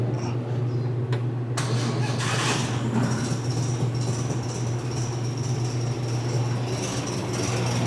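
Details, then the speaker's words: 1961 VW Beetle air-cooled flat-four, first test fire after rewiring, coil not yet mounted, vacuum routing unknown: low, steady, even idle with no knocks or misses. The gen light goes off; it runs. "gen light went off. I don't know what in the vacuum line routing we have. But it does run."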